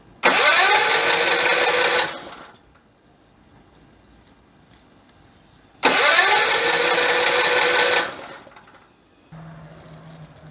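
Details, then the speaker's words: Generator converted to tri-fuel carburetor running on propane, too much propane, choke fully open, no load: bursts up about two seconds, drops away twice, then faint uneven idle; not idling nicely, rough idle. "okay the choker is fully open it's not idling nicely and i need to put a load on it and see"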